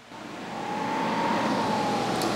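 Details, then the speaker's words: Vevor portable diesel heater on a 13 V power station, just switched on: fan spools up over a second into a steady soft whir with a faint even tone, drawing about seven watts; normal blower startup, no scraping. "fan is blowing I see we're pulling seven Watts over there"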